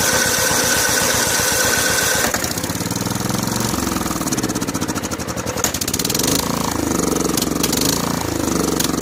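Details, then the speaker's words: Snapper SR1433 rear-engine rider mower, sat 8 years, on choke: rapid cranking catches, then stumbles and surges unevenly; poor running from a leaking fuel bowl and dirty carburetor, which needs soaking. "See if we're getting any fuel in the fuel bowl. Yeah, there's a leaker. There was a bit of dirt in there somehow or another."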